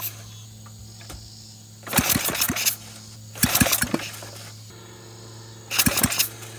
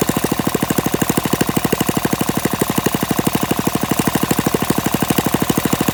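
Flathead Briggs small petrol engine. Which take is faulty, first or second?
first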